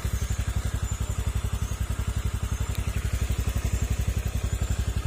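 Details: Honda Click scooter idling after repair of many faults, including an aftermarket part. Even, steady low putter with no ticking over it, quiet now compared with the start: normal idle.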